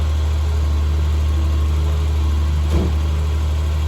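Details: 1974 Triumph TR6 six-cylinder at idle before tuning, deep steady rumble with one brief pop, running rich and sluggish with heavy smoke, backfiring at startup, run-on at shutdown and poor mileage; compression, plugs, carbs and timing were then checked and adjusted.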